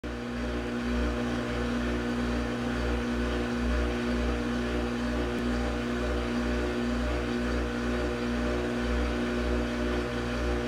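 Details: Brand-new Samsung washing machine, a couple of days old, every time it drains: the pump motor makes a loud, consistent coarse grinding drone with a pulsing throb and heavy vibration. Cause unclear.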